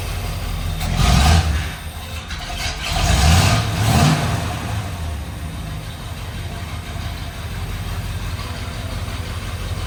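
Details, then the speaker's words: 1964 Mercury Montclair with Ford FE 390 V8, cam and intake kit, first running in 40 years, timing still being adjusted: a couple of rev blips then a steady, even idle with no misses or knocks; sounds healthy. "Needs to idle down. But it seems like it's running pretty smooth. Yeah, run good. It sounds good."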